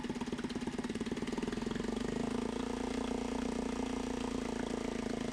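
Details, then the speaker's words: Mariner 3.5 HP four-stroke outboard after oil, gear oil, spark plug and pump impeller service, on a homemade bench in a water bucket, idling in neutral: quick even putter, no misses or knocks, running perfectly. "I ja està llest per la sessió. D'acord? Funcionant perfectament."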